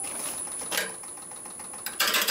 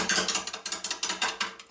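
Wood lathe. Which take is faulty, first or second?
second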